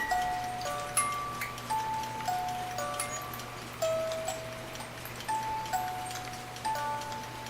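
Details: 1950s German-made Reuge wind-up ballerina music box alarm clock, tune possibly Vienna Life Waltz; tinkling plucked-comb tune in steady notes over an even soft tick, movement clean, alarm working normally.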